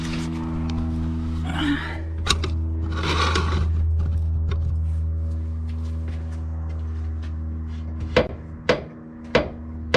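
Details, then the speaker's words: Cobra Daytona build, passenger rear suspension, car rocked on the ground: steady hum behind sharp creaky clicks with each rock, quieter than before; owner suspects a bad rod end. "so it's definitely not as loud it's the same sound but it's not as loud i'm thinking that that rod end might be bad"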